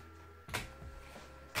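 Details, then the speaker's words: Amiga 500+ with a Panasonic floppy drive: two sharp clacks about a second apart with faint ticks between as the drive steps and retries without reading. Three disks all failed; the drive likely needs a thorough cleaning. "Voilà, c'est le bruit caractéristique d'un lecteur qui ne fonctionne pas."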